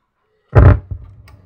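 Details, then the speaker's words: Powered active speaker, buttons previously glued and failing, switched on: heavy thump then crackling, rumbling, unclean sound; only weak output with volume up; amp uses a TIP41 pair; crackling speaker output. "Kresek, bunyinya tidak bersih. Ini input dari power."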